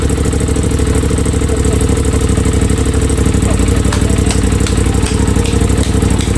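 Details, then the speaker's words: Crash-damaged 2023 Aprilia RS660 during rebuild, first start after fuel pump hookup with tank propped up, before coolant added and quickly shut off: strong, regular low beat holding steady with light mechanical patter; starts right up, runs normally. "This is really, really good. It started right up. It started right up. The fuel pump primed."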